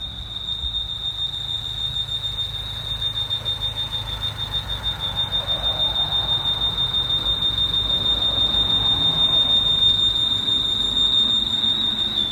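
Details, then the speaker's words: 2011 Mini Cooper Clubman, driving with the check engine light on: a steady piercing squeal near 3.5 kHz, like a smoke alarm, from under the hood holds constant over the engine; the cause is still unknown. "Sounds like one of those smoke alarms."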